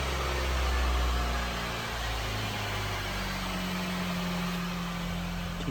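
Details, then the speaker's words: 2013 Honda City (TMO) with an idle problem, started after new spark plugs and a cleaned intake air sensor: engine catches and settles into steady idle around 1000 rpm, no stumble or hunting; idle now stable. "RPM. Okey, RPM melebihi satu nampaknya. Stabil, stabilis. Kita tengok dulu."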